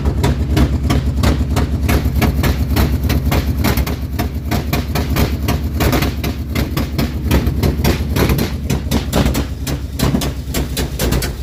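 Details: Engine after header removed for a starter replacement, header gasket not replaced: steady fast ticking about three per second tracking engine speed over a rough idle; owner suspects an exhaust leak at the header; ticking engine noise.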